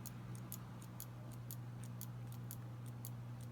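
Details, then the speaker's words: TRS-80 Model I keyboard key switch judged bad: quick metallic clicks, about four a second, with scratchy rasping from a sticking, binding plunger, held up to the microphone. "mechanically sounds odd inside and if a comparable one I call it good you don't hear that metallic clicking or rasping so I'm definitely calling that one bad"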